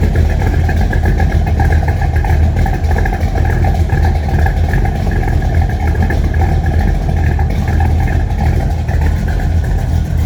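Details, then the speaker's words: 1976 Chevrolet K20 squarebody 4x4 with a small-block V8, Edelbrock carburettor, flanged headers and a big distributor, fired up under the hood: a deep, steady idle with an even lope and no knocks, ticks or misses, a normal healthy idle. "and I'll fire it up so you can hear it. It sounds really good."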